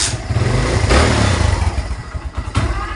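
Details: Kawasaki Barako II 175 that stalls and misfires, especially in traffic: single cylinder stumbles unevenly, beat dropping out and surging back as if about to die; misfire.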